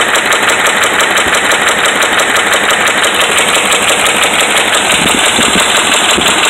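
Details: Dodge Ram 5.7 Hemi held at a fast idle: hard, regular metallic knock about three times a second; bad connecting rod and crankshaft main bearings.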